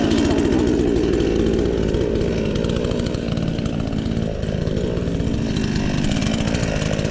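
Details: Chinese counterfeit chainsaw sold as a Stihl (MS 461), newly assembled and first start attempt: two-stroke buzz catches, drops from a high rev and settles into a steady run; the saw starts and keeps running.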